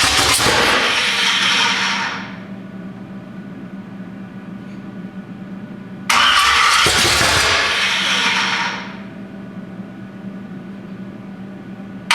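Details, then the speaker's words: 427 big-block Chevy on an engine run stand, not run in a long time, first fire attempt: two cranking bursts of about two seconds each, never firing, steady hum between; crank no-start, owner wonders if the firing order is wrong. "Well, should we see if she fires up for a second here? That's odd. What if I got the firing order wrong?"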